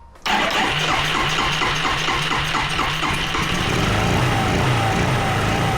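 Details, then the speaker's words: Yamaha Riva 125 scooter after sorting messy wiring, fitted with a Yamaha Vino carburetor: cranks, catches and settles into steady smooth idle with no knocks or misses; runs, though charging only about 11.6 V at mid throttle. "There you guys have it, man. This thing runs."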